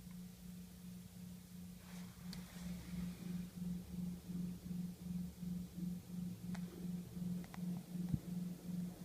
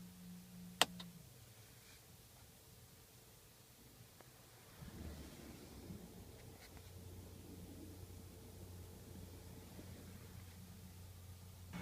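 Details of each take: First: OPT7 H11 LED low-beam bulbs on a 2012 Camry Hybrid: low, steady hum with soft whirring pulse, heard inside the cabin at idle/EV mode; it stops when the low beams are turned off. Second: 2012 Toyota Camry Hybrid cabin at idle/EV mode after switching off OPT7 H11 LED low-beam bulbs: switch click, then near-silent cabin with faint low rumble, the humming-whirring noise gone.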